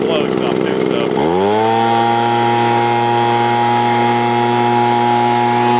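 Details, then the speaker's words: 20-year-old Sears Craftsman box-style leaf blower, hot engine, no priming: catches and climbs quickly to a high steady buzz held evenly at full throttle, normal running. "Okay, got it fired up, ready to go. Get a better focus here now. Give some gas here."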